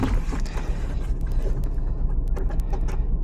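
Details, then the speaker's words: 2013 Jeep Patriot 2.4L, 115,138 miles, rough idle with check engine light and code P0302 cylinder 2 misfire: lumpy uneven rumble at about four pulses per second, one cylinder dropping out. "So, we've got a P0302, cylinder two misfire. That's most likely what they're feeling and what they're talking about"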